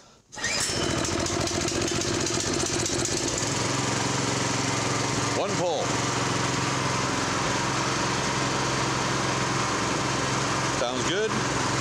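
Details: Brand-new replacement engine on a Honda F501 tiller, first start with choke, temporary air cleaner: small single fires almost at once and holds a steady, fast, even beat, no misses or clatter; idle later measured about 2100 rpm; normal running.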